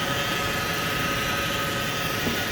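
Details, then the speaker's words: 2016 Chrysler Town and Country with 62TE automatic transmission, engine idling, hood open: loud, steady high-pitched whine from the screaming transmission front pump; deteriorated transmission fluid, slipping, code P0897. "wow that pump pump is screaming"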